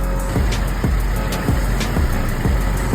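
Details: Chevy Colorado five-cylinder, code P0300, idling unevenly with low thumps about twice a second; it misfired despite new spark plugs, sensor and other parts, and the ignition coil connector is being moved.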